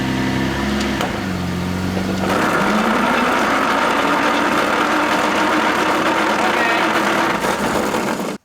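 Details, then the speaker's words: Toyota Land Cruiser that lost power on the highway, moving under load: harsh continuous metallic grinding rising in pitch; transfer case found empty of oil, drain plug finger-tight; grinding from oil starvation. "oh and that is not good um yeah the transfer case appears to have been empty so there's your problem"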